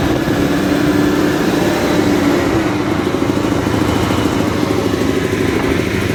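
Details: Caterpillar 988F2 loader after repair of cylinder 5 injector whose broken hold-down bolt let it lift and leak fuel: steady, even diesel rumble with no knock; engine idles cleanly.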